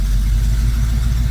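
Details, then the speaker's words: Mostly original two-owner 1973 Camaro during carburetor idle adjustment, shifted through gears: low even burble at about 800 rpm in neutral and drive, steady pulses, no misses or knocks; normal idle. "that's in neutral that's in drive so we're about 800 RPMs let say yeah that's about right"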